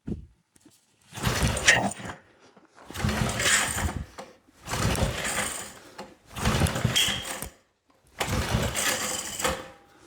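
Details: 1970s Briggs and Stratton engine from a flea market, throttle cable removed, being pull-started on the floor: five separate pull-start bursts of rapid chuffing with no catch; cranks but won't fire, later blamed on a dirty carburetor.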